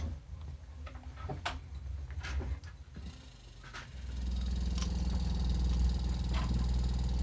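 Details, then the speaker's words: Samsung inverter refrigerator compressor after IPM fault diagnosis, running again with terminals swapped to correct rotation: a few clicks, then a steady, even low hum with no knocking or rattle; normal running. "escucha igual el desempeño del compresor está trabajando"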